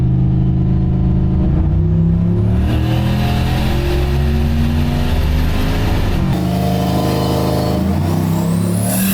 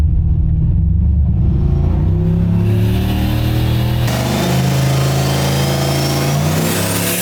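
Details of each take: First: Turbo LS-powered Oldsmobile on a Holley Terminator X, full-throttle dyno pull making about 509 hp: a strong, clean, unbroken climb with no misfire or knock, fuel pressure good. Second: Turbo Oldsmobile on a Holley Terminator X, dyno pull with added timing: the note flattens as boost falls from 8 psi to about 2 psi at 5,200 rpm; the tuner suspects the boost controller's safety cut.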